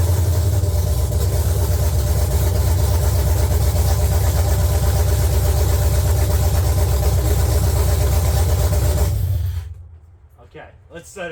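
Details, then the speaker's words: LQ9 V8 swapped into a BMW E36, open headers, no coolant yet: loud, deep, lumpy rumble holding a steady idle about nine seconds, then shut off; no knocks or misfires. "all right guys yeah you saw it she started she runs"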